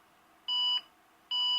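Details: IBM PS/2 Model 56 486SLC2 booting from the reference disk after SCSI and hardware changes with 16 MB RAM: two identical high beeps over faint fan hiss; cause suspected, not confirmed.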